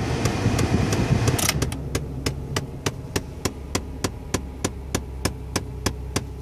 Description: Mysterious sound from dash at start up.